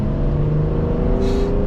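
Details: BMW X5 35d, 286 hp biturbo diesel, on its first test drive after an engine rebuild (head resurfaced, valves lapped, new oil pump and head gasket), not yet run in: smooth, even rising drone under acceleration, no knocks or abnormal noise.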